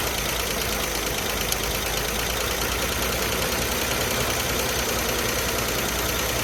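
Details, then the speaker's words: 1978 Chevy Malibu small V6, parked since 2002 with some new parts, just restarted: loud, rough but steady idle with a busy hissy top end and no clear knock. It seems to run really good, though the fuel pump squirts fuel from unclamped hoses. "This thing seems to run really good."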